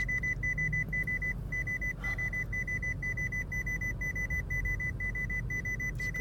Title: Grievious beeping sound